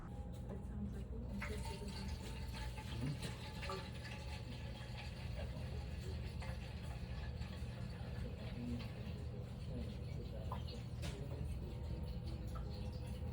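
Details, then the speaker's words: Well pressure tank, listened to at the tank: steady rushing, gurgling water, typical of a torn bladder letting water through and a waterlogged tank; suspected, not confirmed. "So if the bladder's gone, usually what'll happen is you'll hear the water shooting through wherever the hole is, whether it's in the top or the side. You'll hear the water shoot out and up and hit the metal. So you'll hear like a rushing sound, a gurgling sound like this."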